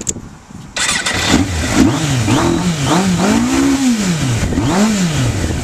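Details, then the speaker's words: 1994 Suzuki GSX-R1100 with Vance & Hines 4-into-1 exhaust, started still cold with temperature not yet up: cranking burst, catches, then clean throttle blips with even firing and no knocks. Owner says it runs smooth once warm; known fault is second-gear slipping, possibly the shift drum. Normal cold start. "Still a little bit cold. You can see the temperature did not come up."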